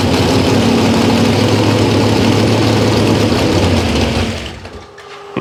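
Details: Cold small-block Chevy V8 being carb-tuned on jets and float level; described as a 327 of about 360 hp with a smaller cam. It runs unevenly with a loose, wavering beat, then the idle sags and dies.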